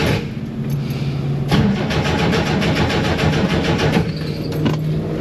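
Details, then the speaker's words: 1967-69 Chevrolet Corvair, sat for years, left out in rain, fuel gauge dead, cranked on jump box to draw fuel through long line from front tank to rear engine: steady even cranking pulses, never fires; crank, no start. "so now I have to crank it to get gas from the fuel tank in the front to the engine in the back it's like an 8T long fuel line so we'll see we'll keep trying"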